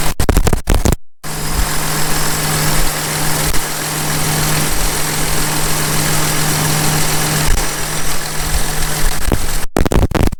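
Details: John Deere 6170M tractor diesel, first start after an engine rebuild, not yet warmed up: it starts and settles into a smooth, even, deep idle with no knocks or misses, with hardly any blow-by; normal idle.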